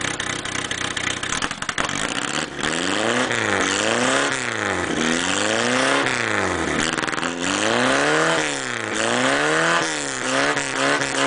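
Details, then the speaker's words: Engine on a hot tub project whose owner suspects a failing head gasket (water in oil), now with a fixed head pipe and a new fabricated open dual exhaust with crossover: repeated quick revs rise and fall cleanly through loud open pipes, with no leak puffing or ticking; healthy. "so now she's got dual exhaust it ain't the prettiest dual exhaust but it's there so now let's see what she sounds like i like it"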